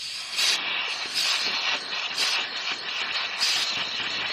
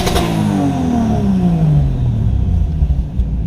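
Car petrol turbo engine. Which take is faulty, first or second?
first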